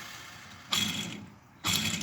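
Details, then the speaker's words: Two quick hand spins of a removed crank main bearing give a dry, gritty rasp and rattle; the bearing is shot, the source of the grinding heard earlier, being knocked out and replaced with cases heated. "Bearing shot. That was all that grinding and shit was hearing."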